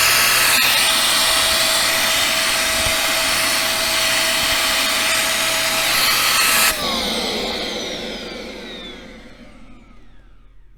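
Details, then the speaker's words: Bissell 1306 Multi-Cyclonic upright vacuum, about 11 years old, before cleaning: a loud, strained roar with a fixed high whine that winds down at switch-off. Suction is lost, and a clog is suspected of choking the airflow. "as you listen to this you might think this is darth vader's vacuum cleaner okay right jokes aside i want this thing to work and quite honestly it's not exactly non-loss of suction"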